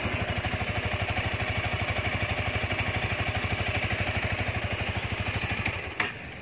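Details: 2019 Honda Rebel 300 fuel-injected motorcycle, original and said to run strong: steady, even idle beat for six seconds with no knocks, ticks or misses; healthy engine.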